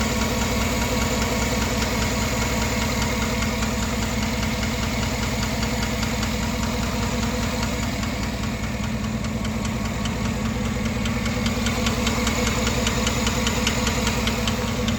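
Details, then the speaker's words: 2009 GMC Sierra 5.3L LY5 AFM V8, 187k miles, compression good: a steady idle with a sharp, regular tick two to three a second; suspected cylinder one intake-side lifter, lifter rebuild planned. "obviously it's a cylinder one intake side lifter you remember there's there's eight lifters that are afm per side and then eight regular lifters"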